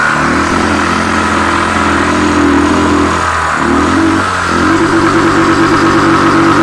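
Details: Royal Enfield Thunderbird 350X single-cylinder: thump rising and falling with revs, rough uneven edge over the beat; abnormal engine noise, cause not yet found.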